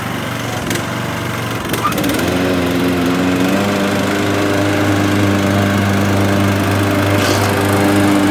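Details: Craftsman LT1500 17.5 hp riding mower after carburetor cleaning and fuel tank flush, test run: engine catches with a few rough pulses, then holds a steady, even putter at constant speed, running normally.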